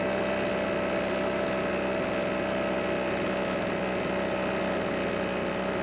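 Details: Husqvarna backpack blower, stored for years, after the water-contaminated stale gas was replaced with fresh fuel: a constant high whirring run with steady pitch and no surging or sputtering, running properly.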